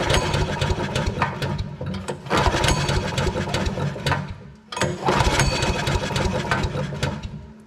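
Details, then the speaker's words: Briggs & Stratton engine on an Agri Fab Mow & Vac leaf vacuum, compression test after valve adjustment, pulled over: slow uneven chuff with little push per stroke, only about 20 psi; low compression, possibly a broken ring (suspected). "we're still only at like 20 I don't know if that's going [Music] to get us to run or not it might have a broken ring or something like that"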